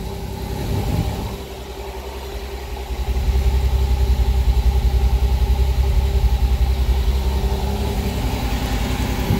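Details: Pontiac Fiero that died while driving; after replacing plugged fuel filter and cranking to prime, it fires and settles into steady even idle, timing possibly off after distributor work; normal idle.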